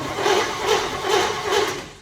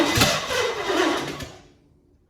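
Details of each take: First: 1963 Chevy C10 under restoration, first key turn after a bad starter; no fuel hooked up yet: even, strong cranking pulses about two per second, nothing grinding; starter turns the engine over properly, normal cranking. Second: 1963 Chevy C10 under restoration, fuel not yet reaching the carburetor, battery run down and needing a charge: two tired start attempts each catch briefly then sag and die as cranking fades; weak cranking from low battery.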